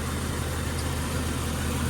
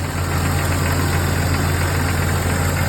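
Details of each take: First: 1999 Jeep XJ 4.0 straight-six petrol after an oil change and an Engine Restore treatment for its tick/knock: steady, even, strong idle with no knocking or lifter tick. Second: 1999 Jeep XJ 4.0 inline-six, cold idle on fresh oil, before adding an engine restore additive: faint rhythmic ticking knock over the engine hum that tends to fade when warm. Owner suspects sticky lifters, piston slap or rod/main bearings. Engine ticking/knocking at cold idle.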